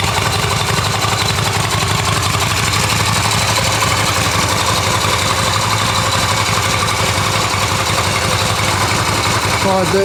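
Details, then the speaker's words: Restored Yamaha XV250 Virago V-twin, everything working and ready for roadworthy inspection: key on in neutral, clean electric start, then an even, lumpy twin-cylinder idle with a steady beat and no knocks or rattles. Normal healthy idle. "let's just see how nice these things start there's the key turn it on it's a neutral the lights come on and let's hit the starter everything works"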